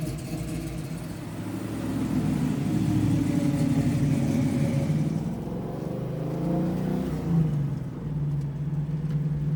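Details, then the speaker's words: 1969 Camaro V8, just after a Sniper EFI install: deep, even rumble that swells smoothly with throttle and settles back without misses or knocks. Normal idle and revving. "There we got it. It runs. It's alive. Sounds good. Sounds good."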